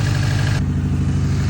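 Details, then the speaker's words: Hawkeye wagon, first start ever on a newly installed engine (the previous one had a blown ring), still burning off smoke: smooth, even low rumble with a steady beat, no knocks or ticks; idling healthy. "First start ever on this new engine. It's burning well."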